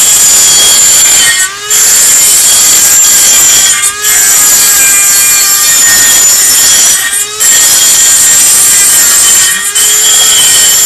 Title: Dremel makes loud noise